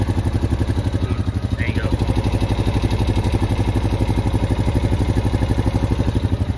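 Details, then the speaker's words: 2021 Honda Rubicon 520 DCT EPS ATV at about 500 miles: a light, even tick about four per second over the low engine note, almost like a knock, present since new, causing no issues so far; cause unknown. "the annoying tick has been there since i got it and almost like a knock but it hasn't caused any issues you can't really hear right now"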